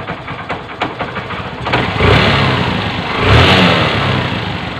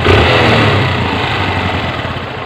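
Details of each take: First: Honda CB 125 single-cylinder after piston ring and valve seal replacement, still to be adjusted; idles evenly, takes two quick throttle blips and settles smoothly, sounding normal. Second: Honda CB125 single-cylinder, engine overhauled over a year ago, idling: a loose metallic rattle over the thump from a faulty, unrepaired clutch damper; the rattle disappears when the clutch lever is pulled.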